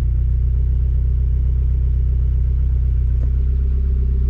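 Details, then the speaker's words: Turbocharged NA Mazda Miata just after first start of the year, cold, AFR slightly rich by design at start-up: deep, steady rumble with an even, unbroken beat, no knocks or misses; healthy cold idle. "afr is right now a little bit rich but to start it up i have it so it starts out rich and then leans out a little bit but okay i'm pretty happy now at least something went right"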